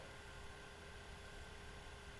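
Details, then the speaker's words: Thrustmaster T-GT wheel base, out of warranty, cooling fan previously clicking, after opening and spraying lubricant, microphone right next to motor and fan: faint steady even whir with no clicking or ticking, very quiet; fan now running normally. "okay so now I have the microphone right next to the motor and the fan it's going to plug it back in and it's very very quiet"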